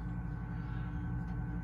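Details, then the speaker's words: New Nexgrill Oakford 1400 vertical pellet smoker, auger primer pressed before initial burn-off, auger runs about 30 seconds: steady low motor hum, even tone, no clicks, catches or grinding; auger turning normally. "that auger turning it'll run for like 30 seconds you just see it"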